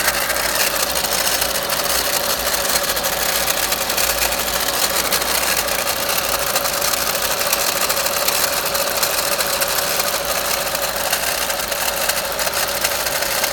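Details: VW Golf Mk5 1.4 TSI 170bhp, 66,000 miles, idling: fast, uneven metallic rattle over a thin hissy running sound; the owner considered the alternator pulley and timing chain and narrowed it to the water pump magnetic clutch, unconfirmed.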